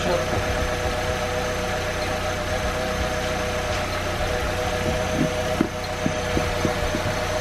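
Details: 2005 Saab 9-3 2.0L after repair of a top-of-engine noise: three damaged rocker arms replaced with used ones. Quiet, steady idle with no top-end ticking, apart from a few stray clicks near the end; noise gone, normal idle.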